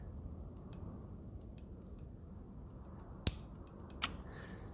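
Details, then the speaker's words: 1956 Lucas D3A4 distributor with ignition on, points closed: quiet background broken by sharp crisp snaps from the lead; strong healthy spark. "affects the camera, I think. But you can definitely hear that. It's sparking well."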